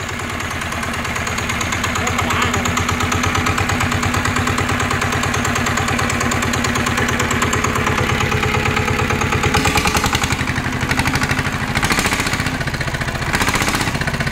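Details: NF19 water-cooled single-cylinder diesel: quick, even thumping with a steady beat and some clatter near the end, no smoke; running smoothly and healthily, though the seller notes compression feels slightly light.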